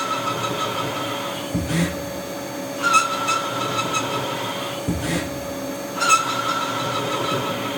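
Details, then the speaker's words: CNC lathe turning a TR28x5 trapezoidal internal thread in cast iron on spring passes: short high ringing squeal each pass over the machine hum; tool chatters at depth once the tip is enclosed by the thread, and the tip hits a rolled burr on retract. "We're doing spring passes now. And this is really where the chatter comes."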